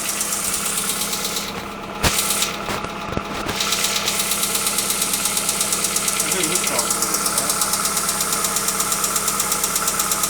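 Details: Hyundai Accent engine at steady idle with a light, regular tick-knock about three per second over a bright top-end clatter; engine knock of unknown origin.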